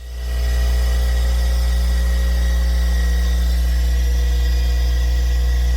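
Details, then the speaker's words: Bench grinder (3600 RPM) that smoked while switched off, now with wires screwed directly to the switch: motor spins up quickly to a steady, even hum with no rubbing or wobble; running normally after the switch fix. "So far, so good. And there we go. It's working. That's what it was."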